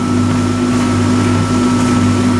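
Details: Whirlpool 8 kg dryer after replacing the capacitor and refitting the motor belt: steady, even hum with constant motor tone, no scraping, rattling or knocking; running normally, repaired.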